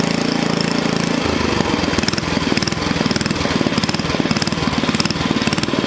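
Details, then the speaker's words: Onan small engine for a log splitter, governor linkage adjusted: a fast, even putter that shifts pace briefly, then holds a steady speed of about 3,400 rpm. It runs cleanly, and the stop switch works. "Killed it, stop switch work. I think 3,400 is good, especially for this little log splitter."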